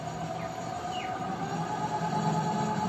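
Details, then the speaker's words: E-bike hub motor after rat-chewed wiring was fixed with a new harness, controller (500 W), converter, handle switch and throttle: key on, breaker on, light throttle gives a soft, steady, even whine with no grinding or clicking. It runs normally. "So yan mga ka-e-bike, oh, gumagana na siya."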